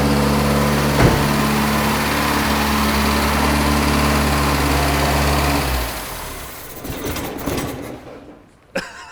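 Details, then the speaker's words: 1975 Pontiac Astre, first run after sitting 20 years, no radiator, under a minute of total running: steady idle keeps chugging unevenly after the ignition wire is pulled, then dies. Engine run-on (dieseling). "see that tried to run even after I pulled the wire off"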